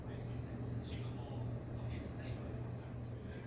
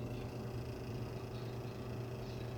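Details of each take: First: Old electric fan before repair: switched on, it won't turn, and on a higher setting it only creeps. A low steady hum without blade whoosh as the motor strains. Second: Electric fan, reassembled after the motor shaft was freed of stuck old grease with lubricant and fresh grease, tested on low speed: a smooth, steady low hum with no scraping or grinding. It runs quietly and smoother than before; the start capacitor was not at fault.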